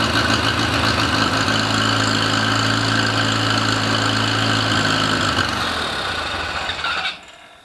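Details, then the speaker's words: Rebuilt International Harvester Cub Lo-boy C60 engine on first start, carb and timing not dialed in, initial smoke from assembly lube: lights off straight away, runs smooth and even, no knocks or misfires; normal running after rebuild. "this thing sounded really good um for like no dialing it in you know on the carb or the timing it it did very well"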